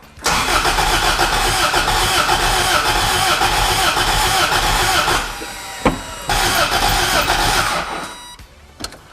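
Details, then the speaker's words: Abandoned Toyota MR2 after sitting, with new spark plugs, fresh fuel and new battery: starter cranks at an even rhythm in two tries but the engine never catches. "uh spray some brake clean in there see if we're just not getting fuel"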